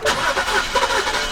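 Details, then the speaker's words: 2007-2010 BMW E70 X5 with N52 engine, sat for two years, right after a starter replacement: brief quick crank catches almost at once and settles into a smooth idle; clean normal start. Some tapping noted, blamed on poor oil supply after sitting. "there you go there you go that's a win fellas that's a win and it runs good actually"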